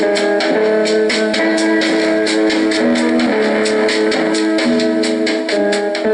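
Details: Norelco 1230 cassette recorder, about 50 years old, at high volume: guitar music plays loud and clean with steady pitch, no warble, drag or flutter; tape transport runs smoothly and playback is normal.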